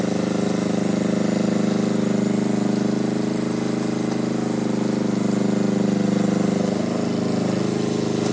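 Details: Power Pony with a two-cylinder Perkins diesel, after the fuel system was bled (owner suspects petcock left off): steady, even chug with no misses or hunting; normal running.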